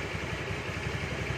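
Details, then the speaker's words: Carbureted Honda Beat scooter idling after repair: steady, even low idle with no metallic jingle or rattle from the drive side; the earlier jingling from a worn, loose starter gear is gone. "Nah bisa dengar ya suara Gemerincing nya sembuh ya namanya akibat yang tadi apa Gigi starter nya itu oblak gitu ya turun ke bawah"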